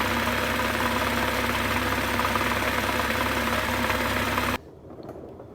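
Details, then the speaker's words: Wrecked 2023 BMW M240i with its B58 at 4,000 miles, warm idle: a fairly even knock, about three per second, from the bottom end. A screwdriver on the oil pan places it near cylinders 4-5; engine knock, source not yet found. "I stuck my head up to a screwdriver and I put the screwdriver onto the oil pan right where roughly cylinder 5-4 is, like right where the oil pan is, and"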